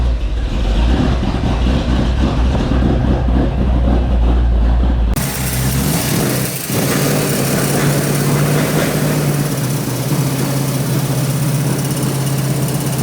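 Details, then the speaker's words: 1970 Ford Mustang Mach 1 V8 with new cam, won't run right during cam break-in, tap in the bottom end: rough, lumpy idle with deep tapping from down low under exhaust noise; rod bearings later found slack and hammering; rod bearing knock. "we just can't get the freaking thing to run right it's just doing all kind of crazy stuff it's got a tap in the bottom end or somewhere"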